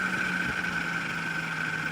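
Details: Can-Am Outlander radiator cooling fan, engine off, key on after high temp light; thin fan whine, blasts briefly then winds down and spins slowly; cause unknown, fan replacement considered.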